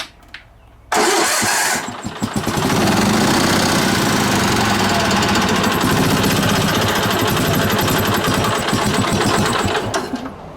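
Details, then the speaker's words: Onan BF-MS 16hp mower engine with DD11 carb, which seems to run warm: it catches and runs rough with uneven sputtering and surging, then dies. Owner suspects the carb-mounted pulse fuel pump is failing and starving it, since no fuel is visible in the filter. "Now, it just started surging and then died."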